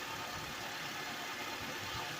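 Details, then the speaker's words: 2006 Honda Accord EX 2.4L just after radiator replacement and coolant burping: quiet, even four-cylinder idle under soft hiss, no knocks, ticks or hunting; run to check for leaks, normal idle. "and let it run and see if there's any leaks."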